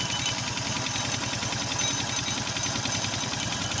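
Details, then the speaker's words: Motorstar Well 125 (Dash-type engine) idling, heard near the cylinder top: tinny, rapid metallic clanging. Timing chain looks fine. "start natin banda dito sa may taas e Sa may cylinder mapansin niyo para may latang tumutunog"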